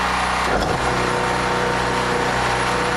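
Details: Generator after carburetor replacement, running on old gas with choke wide open, drill press load just unplugged; steady even engine drone at constant speed, no knocking or tapping; fixed, normal running.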